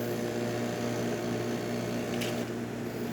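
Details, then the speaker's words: Jura Z6 espresso machine after grinder repair and service for grinding briefly then erroring; steady motor drone with low grinding buzz, no labouring or stalling, medium grind setting, tested at length without backing up grounds: grinding normally. "right now as you can see definitely grinding uh we're we've been testing this ring for quite a while uh we made sure that it was not backing up any grounds or anything and it's just been working the way I supposed"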